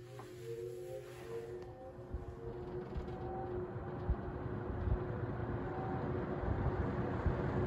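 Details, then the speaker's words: 1970 or 1971 Windsor (Lakewood P-21) vintage box fan running on low, blade slightly out of balance: soft steady air rush over an even, industrial-sounding motor hum, no knock or rattle; running normally. "so it moves a really high volume of a high volume of air it has a very industrial look and sound to it"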